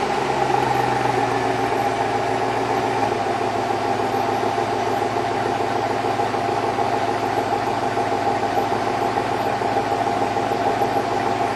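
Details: 2002 Chevrolet Avalanche, Vortec 5.3 V8, piston slap on cold start: hollow, rapid knocking over the cold engine note.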